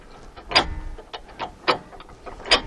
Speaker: you can see the pins popping in and out and hear the clicks when you hear the second click on the downstroke that means you can come back up until you hear the click on the upstroke